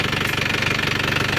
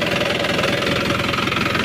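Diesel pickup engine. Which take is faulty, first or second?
first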